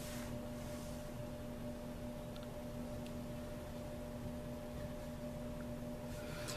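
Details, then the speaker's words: Small blower fan for a vented litter box, wired through a surface-mount box with a dimmer speed control set low; a faint steady low buzz over soft fan rush, the control humming when turned too slow. "now it does hum near if you go too slow now there's full that's what we have before so you can just actually adjust it just before that thing starts buzzing the actual switch"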